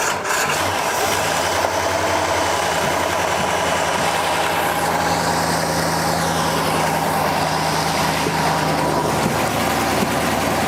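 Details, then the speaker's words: 1972 Pontiac LeMans barn find with 4-barrel carburetor, first running after about 20 years: slow, uneven idle barely hanging on with loose lumpy beat under heavy hiss; needs to idle up a hair, idle speed too low. "It's like I need it to idle up just a hair."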